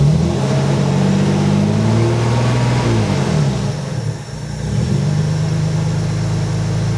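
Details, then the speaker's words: TVR 3000M, Ford Essex V6, first start after new water pump, radiator, swirl pot and hoses, cold with good oil pressure, needed some cranking, not yet tuned; revs then drops to an even, fairly smooth idle with steady low rumble, no knocks. "so it ran pretty smooth and it started reasonably well i had to crank it a little bit"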